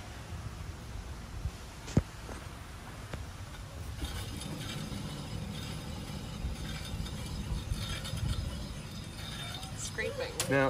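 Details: Mercedes T1N Sprinter, front wheel raised and spun by hand: faint gritty scraping from an early-stage worn front wheel bearing, heard as a faint noise on the road that worsened; bearings replaced with a kit.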